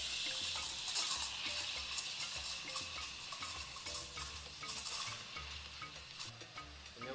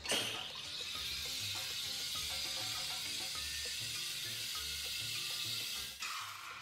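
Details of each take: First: so it's going to force the milk to spin in One Direction and put it about half a CM below the surface of the milk if you don't hear that sloping sound yet lower the Second: usually you'll hear your milk screaming at you when that happens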